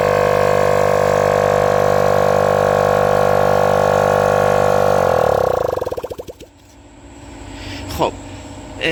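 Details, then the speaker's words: Copeland ZR48 scroll compressor, mechanically damaged from inverter operation below Copeland's allowed frequency: loud steady droning hum with a hard buzzy edge, winding down and stopping; middle and lower bushings poorly lubricated and worn. "که با فرکانس اشتباه کمپرسور راه اندازی بشه، دو تا بوش، این بوش وسط و بوش پایین درست روغنکاری نمیشه."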